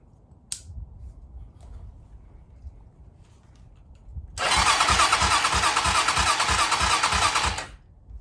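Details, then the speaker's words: 2007 Hawk 250 Chinese carbureted single-cylinder dirt bike, starting fluid in intake and choke applied: steady cranking about three turns a second with uneven pops; cranking with back sputter, looks like it will run. "Well, that was a little bit of a back sputter. You heard it. So it looks like it's gonna run."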